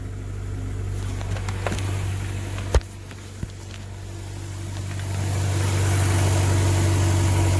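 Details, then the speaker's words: 2000 Honda Accord with no power, cold early-morning start: uneven, lumpy idle with steady low drone and faint rattle underneath, little air from the exhaust, possible exhaust leak suspected; clogged catalytic converter. "i think we got a problem with the catalytic catalytic converter so we're gonna start it up here i don't know if you can hear but it's running like [ __ ]"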